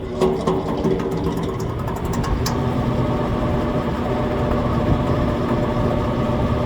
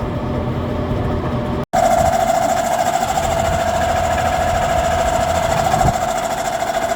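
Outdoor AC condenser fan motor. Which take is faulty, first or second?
first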